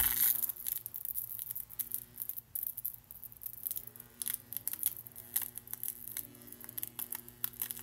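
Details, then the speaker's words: Shorted capacitor powered on during Tesla coil work: irregular sharp crackles and pops over steady low mains hum as it breaks down, leaking wax. "You can hear it crackling. Oh! Oh, that capacitor is leaking stuff everywhere."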